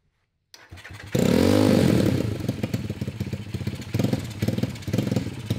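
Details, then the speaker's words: Homemade 190cc single-cylinder go-kart after rewiring and carb needle lowered (leaned out): starts and revs hard, then chops in rapid on-off bursts at the top, cutting out around 7000 rpm; sounds better, suspected fueling/carb issue. "it sounds better we have a fueling issue now"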